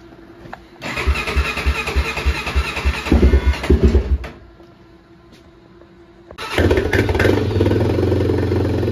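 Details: Honda 400EX ATV after a carburetor cleaning and throttle cable slack adjustment, started bone cold on choke. It catches unevenly and dies, then fires again and settles into a steady, even low idle: engine starts and runs.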